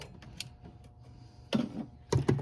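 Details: Razor 170 with a dead battery, after 20 jump starts from a portable jump starter: a few light, dull starter clicks with no cranking.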